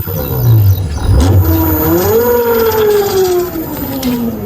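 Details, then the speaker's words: Ola S1 Pro Gen 1 electric scooter at 20,000 km, second MCU failure: wavering whine gliding over a low hum as it struggles, won't exceed 10 km/h (14–15 with two riders the night before), slow to gain speed and jerking under throttle; motor controller fault. "अच्छी खासी चल रही थी। कल रात को दिक्कत हो गई। दो लोग बैठे थे इस पे तो ये 14-15 से ऊपर नहीं जा रही थी और बहुत देर में स्पीड पकड़ रही थी।"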